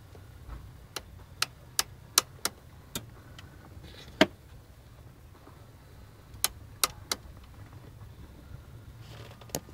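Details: Nissan 300ZX: sharp, dry, irregular clicks behind the dash, sometimes in quick bursts, from the heater box. Owner suspects the vent-control gears or motors; fixed by replacing the complete heater box.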